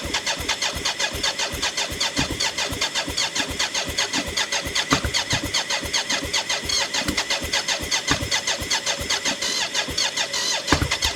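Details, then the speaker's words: BMW K75 (three-cylinder, coil per cylinder) cafe racer custom, start attempt after rewiring ignition and fuel lines with fuel at pressure: starter churns rapidly about two and a half turns a second, a few uneven puffs, no catch. Owner suspects unsealed plenum air intake. "that's uh slightly encouraging i think it's possibly to do with this with the air thing now i haven't closed up the top of my fancy plenum"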